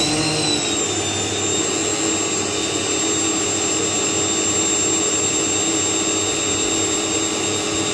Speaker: it's not much squatter really uh by the decibel mini because these motors are a little bit whiny